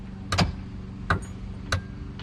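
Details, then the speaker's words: Sunken-and-dried boat engine: four sharp single clicks about two-thirds of a second apart with no cranking. The key only clicked without powering the engine, with bad connections blamed. "before all this when i turn the key you could hear the clicking but you didn't get any power to the actual engine"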